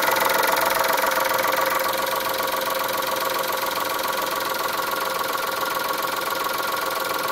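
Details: Chrysler Stratus/Cirrus after timing belt change, warm start on full E85 in cold weather, coolant just flushed with cold coolant added: steady idle with a light regular knock about four a second over a thin hum; engine knocking, source unknown.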